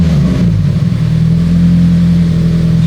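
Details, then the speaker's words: Warm Subaru-engined turbo FRS, no misfires, with a new spark plug in cylinder 1, being revved: a loud, rough note with a heavy clanking rattle low down; the source is not yet found. "there's that clanking noise I was talking about"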